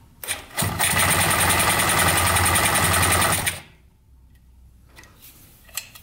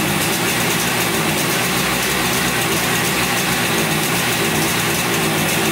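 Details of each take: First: 1971 Yamaha CS200 two-stroke twin, sat over 17 years, on choke after the fix: catches almost at once and revs into a crisp ringing buzz for about three seconds, a little smoky; starts and runs. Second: 1971 Yamaha CS200 twin two-stroke, sat over 17 years, recently revived: raspy, uneven idle with lumpy beat instead of a smooth twin rhythm; owner suspects only one cylinder firing, one not sparking; later spark present, left cylinder 125 psi compression.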